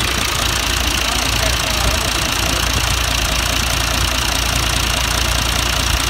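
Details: John Deere 2040 tractor diesel after water pump rebuild and coolant refill, steady even clatter at idle with no misses, hunting or surging; running normally.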